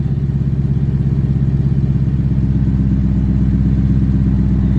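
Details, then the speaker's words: BMW E92 M3 S65 V8 in limp mode from failed throttle actuators, awaiting replacement: heavy loping idle pulsing roughly three times a second instead of smooth; car has been sitting stopped due to this fault. "yeah that's why the car has been stopped and you guys hear that too so the car is in limb mode um my throttle actuators went bad"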